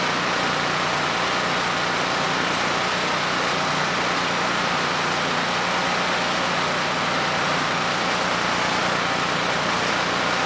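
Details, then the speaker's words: Generac GP5500 generator (low compression) back on its first carburetor with the vacuum leak and fuel leak (O-ring) fixed; started first pull, choke off after about 10 s, under a 1500 W load: steady, even drone, no surging or hunting, running smoothly. "You know, the engine ran nice and smooth. I then applied a 1500 watt load and things continued to run well."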